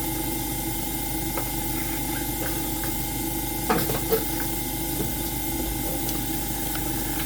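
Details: AromaO2 coin-operated oxygen concentrator switched on manually, before the oxygen test: the compressor gives a steady mid-pitched hum with a few light clicks. It is running normally, and the unit is later shown producing about 30% oxygen.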